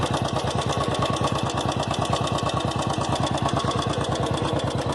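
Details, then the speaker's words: Single-cylinder idle of a Royal Enfield Classic 350, bought the previous September, with a crisp, very regular tick on every beat; ticking began in the first week of ownership and has grown louder over time. Engine ticking, cause unknown. "Today we are going to see about the clicking sound, tick tick sound which is coming from my bike engine."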